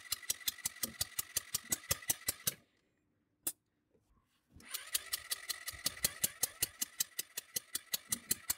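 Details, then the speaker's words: Scooter compression test while cranking with the throttle open: about 160 sharp hissy puffs a minute, a pause, then again, as compression escapes past the hand-held push-in adapter; the screw-in adapter sealed better. "Nee, leider entweicht er der Druck, das kann man gut hören. Mit dem Schraubadapter war es besser."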